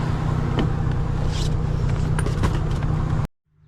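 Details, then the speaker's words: 1999 Ford E-150 Econoline fuel-injected van, cold frosty-morning start without touching the gas: low, steady idle rumble with even beat, no miss or knock; engine running clean. "She'll start. Look, I didn't even have to press the gas. This is what fuel injection does for you."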